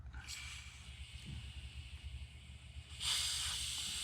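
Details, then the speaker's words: 1947 nickel Coleman 500 series stove, burner out, fuel cap opened slowly to bleed tank pressure: soft steady hiss of escaping air, no sputter; normal tank pressure release. "I'm going to start letting out the pressure. Just slowly. If you let it out too fast, you'll get liquid fuel pouring down the side."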